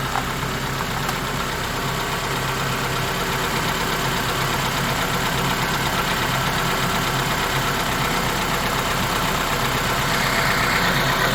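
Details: Honda Element K24 on its first start-up, valve lash still to be adjusted, with what is thought to be a damaged resonator after the cat. Even idle with a light steady valvetrain tick and exhaust rumble, no misses; sounds good.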